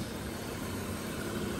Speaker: you have what sounds like a large vacuum leak [Music] sounds like it's coming somewhere under the throttle body intake valve area